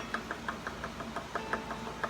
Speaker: Two different tones. Ba ba ba ba. Ba ba ba ba. When ba ba ba ba sounds the same as ba ba ba ba, then that's when you know that these are the same thickness.